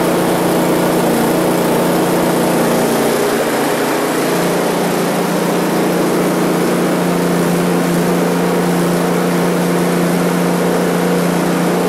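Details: One-year-old Husqvarna ST224 snowblower, left with fuel over winter, after a carburetor clean: at full throttle with choke on after three primes, holds a steady drone with a slight early pitch change, then settles evenly with no surging; running normally.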